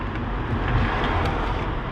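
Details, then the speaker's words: 2010 Fiat Panda 4x4 1.2 8v petrol at idle, with old spark plug leads, one loose: low, lumpy idle with an uneven beat and visible shaking; the engine is misfiring, with the fault traced to cylinder three. "look how that baby is shaking it's shaking we are going to see if we can diagnose this misfire"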